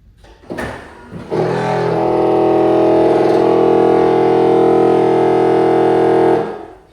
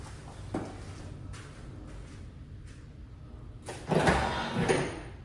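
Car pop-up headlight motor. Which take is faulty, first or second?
first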